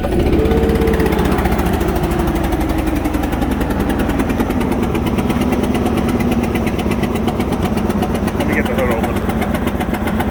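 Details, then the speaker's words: Ford F150 4.6/5.4 V8 with cylinder one spark plug previously resleeved: loud sharp puffing tick keeping pace with idle over rough drone; spark plug blown out of its threads, now cylinder four. "so now this time it's not cylinder one it's cylinder four not what i fixed already not the same problem different cylinder"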